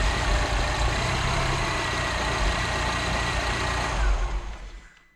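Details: MINI R56 with newly installed engine of unknown storage time, first start with front end partly disconnected: catches and runs a few seconds with an uneven lumpy beat before shutting off; rough running, likely from sitting.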